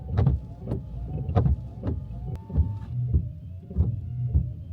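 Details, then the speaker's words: VW Up after 30,000 km, newly replaced Valeo Silencio wiper blades on a new windshield, still noisy: soft rhythmic thumps about once a second with a faint squeak each pass; wiper blade noise. "Para ser sincero, todavía son un poco ruidosos. Esperaba que fueran mucho más silenciosos de lo que son ahora..."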